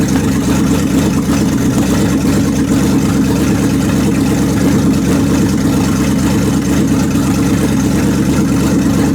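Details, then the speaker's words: Chrysler 360 with cleaned 727 TorqueFlite, was low on fluid, shifted manually into reverse: steady low engine drone bogs down as driveline takes load and reverses direction; all servos and reverse engaging, valve body possibly sticky. "I could go into reverse and you can hear it bogg down and see the drive line change the directions"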